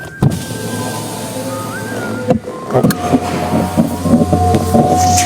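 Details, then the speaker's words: Chery Arrizo 8, about 2 years and 30,000 km, window rising: motor hum with rapid uneven creaking clicks inside the door, one side quieter; dry regulator cable lacking grease, needs lubricating without replacing the assembly. "就门板里面嘎嘎响啊，那边也是有的，这边好一点，这边声音小点，看没有？就是这个升降器里面缺油了，把它拆开上点油就可以了，这个声音就可以解决了。"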